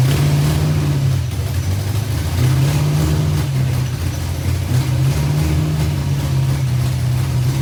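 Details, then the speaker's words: Fox-body Mustang project first start-up, timing advanced, exhaust leak noted: loud lumpy hunting and stumbling, uneven beat that won't settle to a clean idle; rough running; oil pressure about 50. "it didn't run the best but it ran y'all doesn't sound the best but it's alive"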